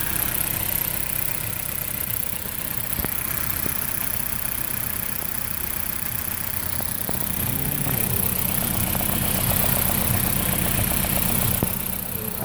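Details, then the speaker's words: 2008 Dodge Caliber at idle: a petrol engine misfires, its low thrum broken by an irregular stumble two or three times a second. Engine and downpipe to catalytic converter shake. Spark plugs are new; the original coils are to be replaced next; cause not confirmed. "Sounds like the car is misfiring. And it looks like the cat converter looks like it's shaking."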